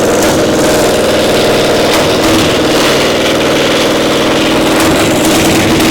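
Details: Gasoline pony motor for a Caterpillar Diesel 70 starting engine, running during startup attempts: uneven stumbling beat about two firings a second with skipped hits; one cylinder weaker, firing intermittently despite good blue spark; faulty magneto cap.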